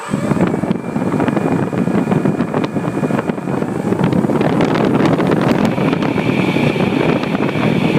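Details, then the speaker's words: HobbyKing Red Brick 80A ESC, about 30 flights, driving a big motor on a P-47 with a 15x7 prop: a static-like snowy hiss over a steady prop drone, with power stuck near 20% and not climbing with throttle; faulty ESC. "you notice is going to speed up and and it's going to make a weird engine sound"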